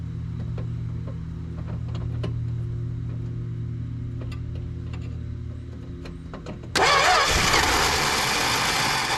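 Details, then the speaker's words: 1974 Plymouth Duster, slant six with 904 transmission, sitting since 1987, gas poured into the carb with choke open: steady starter churn with a few weak catches that never take; cranks but won't run, suspected fuel starvation. "I think if we can get some fuel to that thing we'll have a running car"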